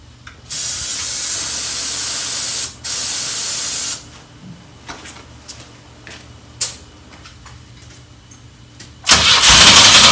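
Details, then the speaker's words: 1984 Pontiac Fiero at its first start in over 30 years, on a new battery with some vacuum hoses off. Long hissing sprays go into the intake while the engine barely catches, then it fires near the end but won't keep running on its own fuel; the owner suspects the fuel pump. "thing is running we just got to figure out how to keep it running and uh it's probably fuel pump or some"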